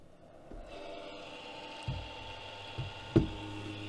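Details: MFJ-4225MV switching power supply, about eight years old, at switch-on: a steady whirring hum with a faint whine from a worn, noisy cooling fan, later replaced with a Noctua 80mm fan.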